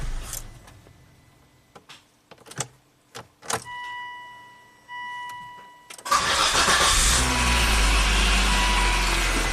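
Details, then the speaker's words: 2004 Volvo XC90 after fixing a long-crank/stall crankshaft position sensor signal problem found via a TSB: relay clicks and chimes, then a short crank and the engine catches right away into a steady idle; starts clean. "Yep this car is fixed"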